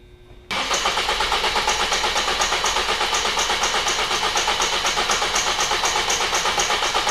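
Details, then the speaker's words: 2005 Ford Focus 2.0: even starter cranking at nearly three beats a second that never fires; crank but no start. "hi I'm a 2005 Ford Focus 2.0 crank but no starts"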